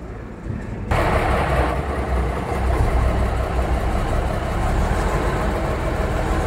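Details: REO 5-tonne military truck diesel, first start after engine overhaul: it catches after a second of cranking and settles into a steady, even idle with no knocks or misses. Normal start and idle.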